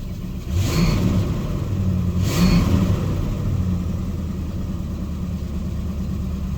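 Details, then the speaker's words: 1979 Lincoln Mark V: two quick blips of the V8 settling to a lumpy, uneven idle; misfire, owner suspects a plug wire not fully seated or possibly an exhaust leak, not confirmed. "idle it down a little bit it has a bit of a misfire i wonder if i didn't plug in one of those cables all the way"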